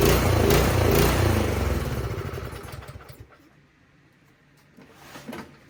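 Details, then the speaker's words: 208cc Troy-Bilt snowblower engine: pulses unevenly, loudness hunting up and down, then sags and dies; surging idle from a dirty pilot jet, fixed by carburetor cleaning. "so you hear it dieseling there? That means that the pilot jet is dirty."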